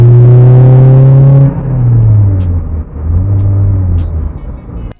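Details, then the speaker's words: Toyota MR2 with a Gen 5 3SGTE engine swap and no blow-off valve, one gear down under boost: the engine pulls hard, then flutters on lift-off as boost pushes back through the turbo; compressor surge flutter. "Now you can hear that flutter whenever I let go of the gas. Now the reason that's happening is because there's no blow-off valve."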